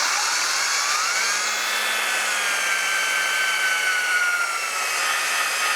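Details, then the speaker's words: 1958 Plymouth 319 swap engine before first start, oil pump primed with a drill and oil pressure gauge fitted: steady drill whine that sags in pitch as oil pressure loads the drill; pump building pressure. "Could you hear the drill actually doing that? That was not me changing the load, but the oil pressure actually putting a load on the drill itself."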